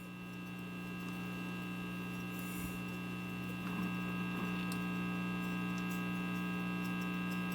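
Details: RCA 66X1 radio after capacitor replacement, plugged into 125 volt isolated supply instead of variac: only a steady low mains hum with slight buzz, no station or static changes; no reception.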